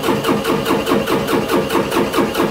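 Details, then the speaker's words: 2018 John Deere 3038E tractor with code ECU A 523249.05: starter churns about four even pulses a second, never fires; crank-no-start from lost signal, dirty crankshaft position sensor making intermittent contact. "cranking and cranking and crank till the battery runs down. So what I figured out was this. Our crank position sensor here is dirty enough to make contact sometimes when it wants to."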